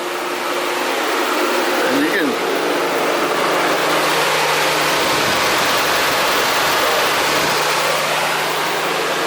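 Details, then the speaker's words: 2015 Cadillac Escalade with engine turned off, no check-engine light: steady loud rushing whoosh, cooling fans stuck on high; code P0128, temperature not registering on gauge; fixed with new thermostat and coolant temperature sensor. "wife pulled in and she said it's making a weird noise that sounds like a fan or something or another the car's turned off um and the fan was just"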